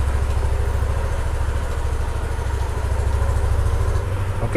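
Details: 2020 Yamaha All New NMAX scooter idling after an oil change and oil-indicator reset: a steady low put-put of even firing pulses at constant speed, no knocks or rattles. Normal idle.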